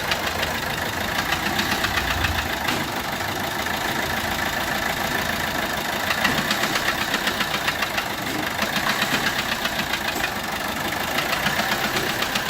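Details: Peugeot 1.3 HDi diesel at idle: uneven puffing tick about four per second over rough clatter, resembling injector compression loss; actually the fourth cylinder is leaking compression past a bent valve that doesn't fully close.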